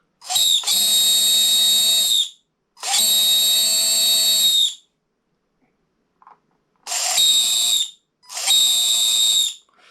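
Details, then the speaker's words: Team C Jekyll RC buggy, Etronix 3300Kv brushless motor with cheap 60A ESC on LiPo, full-throttle bursts: shrill, harsh, rough whine, motor already heating; high internal friction, suspected collapsed bottom bearing, sealed can not rebuildable. "That's that's nasty. It's actually already getting slightly hot. Obviously a lot of friction in there."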